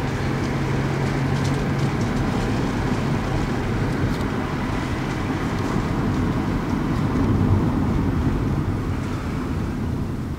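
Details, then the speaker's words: 1999 Toyota Corolla 1.8 driving and pulling up to stops on a cold fall day after the power steering pump pulley fix: steady engine and road drone, no knocking at stops; running normally. "yeah usually by now after you drive it for so long you start to actually hear the uh the knocking when you come to a stop so yeah I definitely think that that that definitely fixed the uh [Applause] issue"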